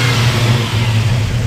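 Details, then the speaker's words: 1940 Mercury 8 Coupe with fuel-injected Ford 351W V8: deep, even rumble rising smoothly with the throttle, no knocks or misses; revs cleanly and sounds great. Healthy rev. "know it sounds great go and rev it up again"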